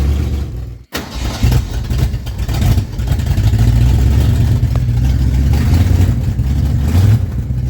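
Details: Junkyard-rescued 1970 Ford Torino GT V8, first start in decades, oil pressure 30 climbing to 50 psi: brief catch at start, then running and revving with steady low rumble; normal running.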